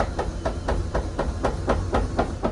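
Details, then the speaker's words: RV slide-out room before repair, retracting: uneven popping thumps about four per second as the room creeps in, jerky skipping travel caused by a collapsed wear bar; fixed by installing rollers. "See how it's jerking going in?"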